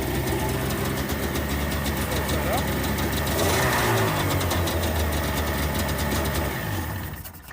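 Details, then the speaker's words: 1994 Sea-Doo GTX two-stroke, fuel run straight from the tank, on a marine battery: it catches quickly and settles into a steady, even idle with no misses or knocking. Normal start and idle. "and has no problem starting and idling."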